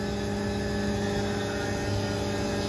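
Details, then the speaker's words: Tormach 1100MX CNC mill cutting a 6061 aluminum custom Brembo caliper bracket for a 1997 Chevy Silverado: steady, even cutting hum with constant spindle tone and no chatter; cutting cleanly. "there we go yeah it's been cutting pretty nice"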